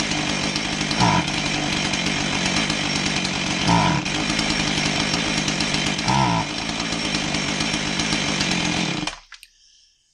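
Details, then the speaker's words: Husqvarna 445 chainsaw that bogs and won't rev, after a new fuel filter: it idles fairly decently, but each throttle blip sags and falls back, unhelped by richening the low-speed screw; a plugged low-speed carb circuit. "you notice that when I added uh low speed a rich in the low speed that it didn't help and you also notice that it idled fairly decent not like it had an air leak you know it wasn't revving high from from running lean at idle but it didn't have enough fuel flaw to actually rev"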